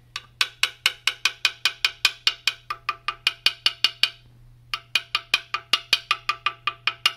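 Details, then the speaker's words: Quarter tap test on a carbon mountain bike: quick coin taps give a flat, dull, dead click over an impact-damaged spot with visible hairline cracks. "it sounds dead but you can actually see all those hairline cracks in it and this was a pretty gnarly impact"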